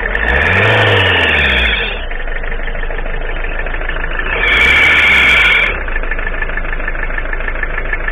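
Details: Citroën ZX with XUD diesel after replacing the accessory belt tensioner pulley: idles steadily with two quick throttle blips, no belt squeal or chirp.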